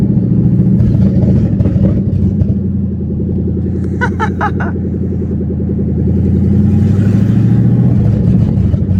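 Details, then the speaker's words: Ford Mustang drift car running while the H-pipe is replaced to cure a check-engine light: a loud, deep, lumpy idle with an uneven pulse. It sounds like it is missing; rough idle, cause unconfirmed. "It sounds like it's blowing bubbles. That sounds absolutely atrocious. Sounds like it. This sounds so freaking stupid. Dude, this thing sounds like it's missing its ass off."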